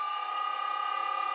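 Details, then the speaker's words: Vintage Kargar lathe with a newly installed motor and VFD, run up from 10 to 100 Hz: above about 70 Hz a steady high whine with a pulsing throb as the motor vibrates. Owner suspects imbalance or bearings loosening in the housing; not confirmed. "At about 70 Hertz the motor starts vibrating. And you can really hear that. It's probably an unbalanced, but it might also be the bearings working themselves loose again, in the housing."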